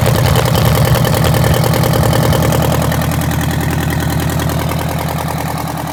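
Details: Detroit Diesel 8V92TA in a Wanderlodge RV: loud, lumpy idle with an uneven, stumbling pulse that settles lower after a blip. A dead cylinder from a bad injector; the liners were also found scored and cracked.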